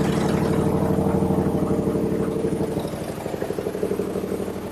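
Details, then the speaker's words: Toyota 2GR-FE V6 swapped into an SW20 MR2, first start, cold, no oxygen sensors fitted and no codes stored: uneven idle, lumpy pulses about three per second that stumble and wander; owner suspects missing O2 sensors cause the rough running. "all right she doesn't quite sound right but I don't have any oxygen sensors right now so I suspect that's the issue"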